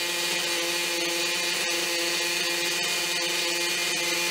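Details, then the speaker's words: Maxy's Cinco 2.0 nitro RC engine mid break-in on a stand with Bones break-in fuel; high buzzy steady idle without stumbles or surging, break-in going well, normal. "so the breaking fuel which this break has been going pretty good you're going pretty good uh she's starting to idle like nothing no problem"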